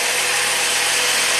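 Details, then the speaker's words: 2004 Saab 9-3, 175,000 miles, with steering lock module bypassed by grounding relay pin 86 instead of via ECM: cranks and starts, steady hiss-heavy smooth idle, no knocks or misses. "let's see if this thing cranks and starts up and runs"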